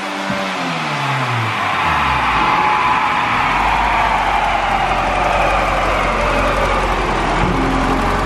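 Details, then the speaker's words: Turbo car pulling hard on the dyno, then a sudden whoosh and loss of pull as boost dumps. The boost pipe connecting to the intercooler has blown off, felt by hand behind there. "oh yeah can't see it but I can stick my hand up behind there and feel it so we blew a boost pipe connects to the intercooler right in there"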